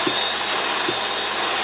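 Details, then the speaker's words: Bissell 2X vacuum/wet cleaner, no-suction repair: strong steady high airflow rush with even motor hum, no surging or rattles; suction confirmed at main base. "Good. All right. The first part is done. Suction is at the main base of the machine."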